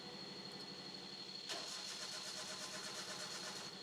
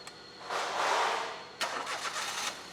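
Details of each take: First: Crank no-start demo with the camshaft position sensor disconnected: the starter spins the engine at a steady rhythm but it never catches, and the warning light stays on. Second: Engine after the cam position sensor line was reconnected and codes erased, warning light demo: short crank, catches quickly and settles into a quiet, even idle with no stumble; starts and idles normally.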